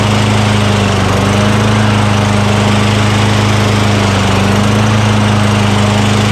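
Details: Craftsman self-propelled lawn mower with 6.75 Tecumseh single-cylinder engine, a curbside trash find, just started after priming the intake with spray degreaser during oil sludge drain repair; steady even drone, no misses, knocks or surging, normal running.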